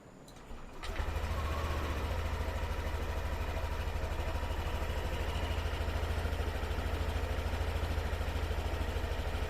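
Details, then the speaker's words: Yamaha Aerox Connected scooter, previously noisy after running out of oil, after TPS check and ISC reset (battery 11.8 V): catches after brief crank and settles into steady, even idle, no ticking or knocking; engine now quiet. "Oke. Suara mesin juga udah adem ya."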